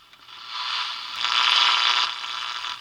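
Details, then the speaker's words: Sportmate portable radio previously dead: broken negative battery lead bypassed, hooked up directly; loud steady hiss and crackle swelling and fading, plenty of sound but no station tuned; audio stage works. "And you can hear there's plenty of sound. I still haven't been able to pick up a station, but"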